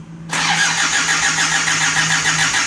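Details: Isuzu Panther 2.3 diesel just reassembled after a cracked piston caused heavy blow-by, with new seals and rings: starter catches and it fires at once, settling into a steady, even clatter with no misses or knocks; healthy start.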